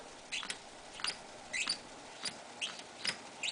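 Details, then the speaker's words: RCA 87T tube radio, after reseating a 6F5 preamp tube: sharp irregular crackles and scratchy bursts, about two per second, when switching bands and tuning; dirty band switch contacts. "there's also a crackle and if i tune it you can hear noise also in different spots so that's a good sign"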